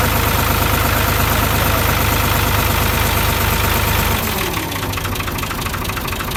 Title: Complete & Satisfying Solved The Problem of Bad Engine Noise | Engine Bad Voice Perfectly Repairing